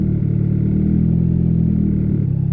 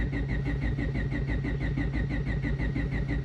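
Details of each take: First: Built turbo D16Y8 Honda Civic just fitted with 1500cc injectors, tuned on Hondata S300, warming after a rich 11.7 AFR startup with cooling correction cut to 9%: steady, smooth low-hum idle around 14.6–14.7 AFR with 9° timing, no misses or stumbles. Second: Built turbo D16Y8 Honda Civic just fitted with 1500cc injectors, Hondata S300 tune, laptop connected and pump running during cranking: the starter spins the engine evenly at about three compression pulses a second but it never fires. Insufficient cranking fuel; it fired at once with 20% cranking fuel.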